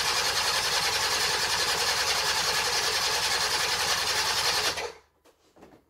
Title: Baotian Rocky 49cc 2 stroke 2010 first start in 3 months.